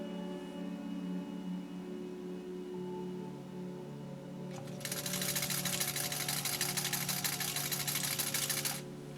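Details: 1949 Singer 66-8 sewing machine with a restored motor, sewing layered burlap, felt and leather. The motor hums up, then a fast, even stitching clatter runs steadily with no knocks or binding: normal running.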